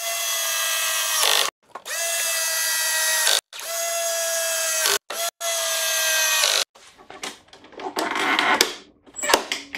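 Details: Greenworks 25302 cordless battery mower, tested after a switch repair and before the deck cover goes back on: motor spins up in four clean bursts to a smooth steady whine and winds down each time, no grinding; normal running.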